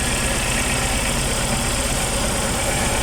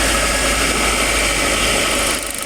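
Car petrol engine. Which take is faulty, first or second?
first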